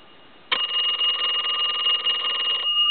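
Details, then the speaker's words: Repaired telephone (box chest deco tel) on final checkout, extra rings since ringing was the problem: clean even bell ring about two seconds, steady and strong; ringer working properly. "these bells were sufficient they just weren't like the 2500 i'm going to give it a couple more rings since that's what we were having a problem with"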